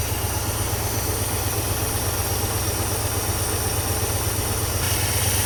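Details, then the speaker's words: International Scout, back running after 18 years off the road, started on the key with the radiator cap off and being topped up as it warms: steady, even idle with a smooth low rumble, no knocks or misses; healthy normal idle. "I'll leave the radiator off or a cap off and then we'll just keep topping that off as she warms up. She runs so good."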